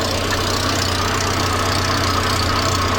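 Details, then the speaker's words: Volvo 480 after fitting a new centre exhaust section: loud, uneven idle with a raspy chuff on each firing pulse, exhaust blowing at the donut joint and also leaking at the rear. "coming from the donut n further down let's try the rear and quite a big bit from the rear so quite a bit of uh exhaust cast coming out the back so yes it's leaking but not all over"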